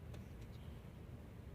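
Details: Engine running rough with a lumpy, uneven low rumble and irregular pulses; cracked hose suspected, and one ignition coil suspected of leaking current; rough-running engine, possibly misfiring.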